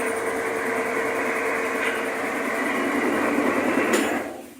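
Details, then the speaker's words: Magic Chef washer after its motor was rebuilt with new bushings (the old ones dragged): steady hum and churning swish on a large cycle loaded with blankets, running normally under heavy load. "ya pusimos a trabajar la máquina le pusimos un cico grande y le pusimos cobijas para ver que aguante el motor lo pesado"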